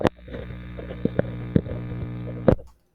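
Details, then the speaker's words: Homemade single-triode vacuum tube amplifier with the plate supply connected; steady loud low buzz under handling clicks, getting louder when the grid is touched to ground; source of the buzz not found. "the buzzing noise gets louder when I touch grid to ground here and it's already quite loud"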